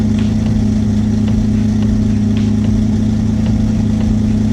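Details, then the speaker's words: Twin-engine Mazda MX-3 idling after fuel was added in the tune until the idle cleaned up, plus a touch extra; steady, even idle hum, smooth low drone with no misses or stumbles; clean idle. "Now that's 100% clean idle for sure. I just added a touch extra."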